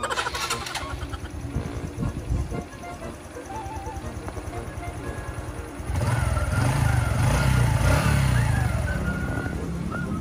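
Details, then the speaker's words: Honda RS125i motorcycle after engine was removed and reinstalled to adjust the chain: engine fires up and settles into an even, steady, quiet idle with no clatter or knocking; normal idle. "Tahimik na ang makina at kakaba-kaba ang may kanya dahil yari siya sa misis niya."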